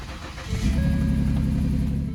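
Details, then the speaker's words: 2010 Ford Taurus 3.5 L, 104,000 miles, water in engine from internal water pump, diesel added to crankcase to clean sludge; cranks and catches quickly, steady low running note with no rod knock or ticking; engine runs good. "now that we know that the this motor runs good it has no Rod knocks or any ticking going on"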